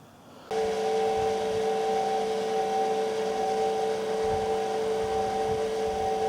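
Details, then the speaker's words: Indesit washing machine after its non-separable tub was cut open, drum bearings and seal replaced, and the tub resealed: a smooth, steady whir at maximum 1,000 rpm spin with no noise or vibration. Bearings are working properly. "เครื่องซักผ้าทำงานเงียบไม่มีเสียงหรือการสั่นสะเทือนใดๆผมเปิดเครื่องที่ความเร็วสูงสุด1,000รอบต่อนาทีไม่มีปัญหาอะไรเลย"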